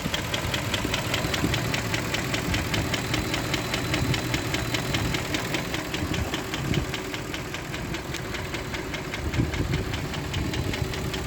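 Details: Range Rover Vogue M62B44TU V8 at idle, knock present since purchase, ~15,000 km driven since; others blame VANOS but owner says it's welded, engine coming out to inspect; dull regular knock ~100 per minute, source unknown: engine knock.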